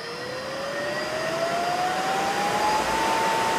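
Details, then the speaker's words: Motor rated 1765 RPM at 60 Hz, run by a custom single-phase-input VFD from the Wadkin Temple and driven to 120 Hz full speed, displaying about 3150–3531 RPM. Clean rising whine with no rubbing or bearing noise; a very quiet, healthy motor. "we can come her up to 20 that's full speed 35 5 31 RPM very nice quiet motor"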